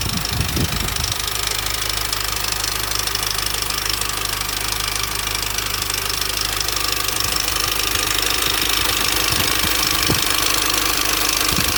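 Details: 2004 Mini Cooper S R53 facelift at 109k, steady idle: a loud, busy metallic rattle about twice a second from an established timing chain noise. The chain is suspected to have jumped and the front guide possibly to be broken.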